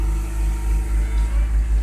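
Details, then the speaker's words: Accord Maestro carbureted engine, cold start after adjusting the automatic choke bimetal (choke opener dead, choke set slightly open): deep steady drone with gentle even pulse; fast idle working normally at about 1500 rpm to reach working temperature. "fast idle berfungsi dengan normal teman-teman. Ini bergerak ke 1500 rpm. Jadi untuk mempercepat temperatur kerja mesin biar mencapai suhu temperatur kerja."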